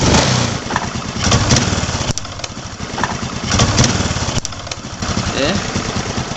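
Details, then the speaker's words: Honda Supra X 125 motorcycle that keeps stalling, revved with throttle: sharp irregular snapping ticks several times a second over the exhaust note; a leaking coil-to-spark-plug lead arcing sparks onto the frame. "Pada saat tadi pengecekan terdapat adanya lontaran api, bunga api yang keluar dan mengenai ke bodi."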